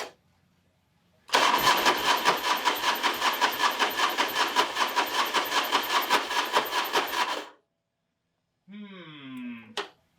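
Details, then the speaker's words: Harley big wheel bagger after engine rebuild, no oil pressure yet: harsh, clattery cranking at about 2.5 beats per second for six seconds, engine never fires; starter suspected water-damaged, and a damaged crank sensor may explain the no-start. "I got a bad starter. Come on! I got the starter to turn over a second ago, so maybe it'll start now. Here we go. That starter sounds like poo-poo."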